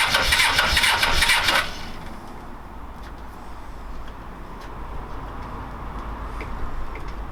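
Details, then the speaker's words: Suzuki GS500 after refitting carbs with new inlet rubbers, good spark and even compression: about a second and a half of fast cranking that never catches; it backfires and once ran five seconds, owner suspects not enough air, mixture screws reset. "nope so still no running engine although as i said before i it has ran for about five seconds it ran so it must be so close to actually firing properly"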